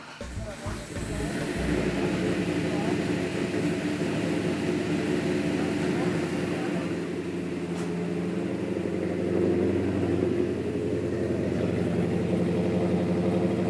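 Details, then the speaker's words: Strong Hemi V8 held at a steady 2,000 rpm, then revved to 3,500, with a light, even solid-lifter rattle over it, recorded before restoration; typical healthy solid-lifter clatter. "I got solid lifters in Doc, yeah, solid I lifter. can hear them rattling, yeah. I like it. Sounds good."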